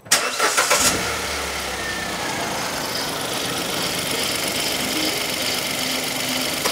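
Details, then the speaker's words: 2015 Hyundai i10 1.0L Kappa engine: uneven, rhythmic chunking at idle, about three or four beats a second, mechanical rather than belt, and getting worse; timing chain stretch suspected but not confirmed. "I can hear a chun chun Jun junka junka junka junka junka yeah it's got worse actually when you first could hear it you you have sworn that was a belt so that noise now it does sound mechanical"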